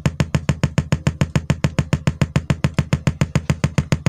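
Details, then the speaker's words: Sharp CD BK-1600 mini compo after panel-error repair, test speakers connected: deep very regular thumping in speakers, about five or six pulses a second, instead of music; amplifier motorboating, not yet fixed. "belum sembuh teman-teman Hai Kenapa ada suara Dudut ternyata suara duduknya enggak hilang"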